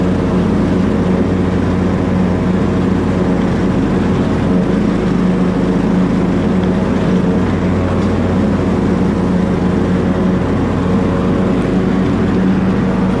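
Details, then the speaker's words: Small engine warm after mowing, putting heavy smoke through the cylinder: loud, steady drone under load with no clear knock. Owner suspects a blown head gasket, not confirmed. Smoking engine. "I think you can see the motor's getting warm you can see how it smokes now that's my problem"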